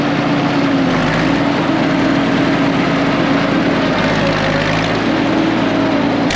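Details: Late-1940s/early-1950s Caterpillar D6 cable dozer, a barn find revived after years sitting, moving under load: steady deep diesel drone with an even low throb and track clatter, no misses or knocks. Normal diesel running.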